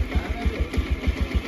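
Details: Bajaj Pulsar 125 BS6 with check engine light and P2109 throttle position sensor fault code, keeps stalling; idles low and lumpy, about eight slow uneven beats in under two seconds, sounding ready to stall. Cause suspected, not confirmed.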